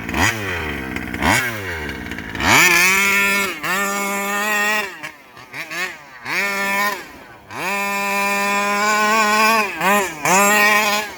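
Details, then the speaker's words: Rovan 5B fifth-scale two-stroke on its first run with a new carb and 10k clutch: it revs in sharp bursts, then tops out and sags, losing power: the over-rich high-end limit. "found its limit it just lost power doing that too much yeah all right well found its limit so now i know where rich is"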